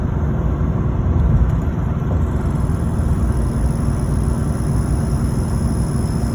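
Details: LBZ Duramax diesel: deep, steady rumble with a faint, thin high-pitched turbocharger whine riding on top.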